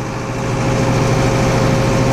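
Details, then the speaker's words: Tractor with Tiger brush cutter, revved to at least 1800 rpm then cutter switched on; tractor bogs down bringing the cutter up to speed, then steady low diesel drone with cutter spinning evenly; normal running under load. "Reach over here, flip that switch on. You can hear the tractor bogging down as it brings the hog up to speed. Now once the machine is up to speed, you can do whatever you want to with it."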